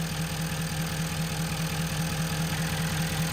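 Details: 2011 Ford F-350 6.7 Powerstroke diesel that was burning major oil, after refitting a possibly pinched hose: deep steady even idle clatter, no stumble, hiss or puffing at the oil fill, no excess crankcase pressure; normal idle.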